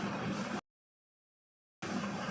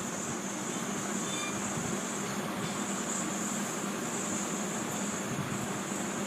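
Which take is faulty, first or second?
second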